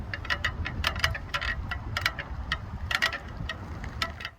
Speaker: if the spokes on either wheel become loose and the tension isn't right you're going to hear a faint popping noise and kind of sounds like popcorn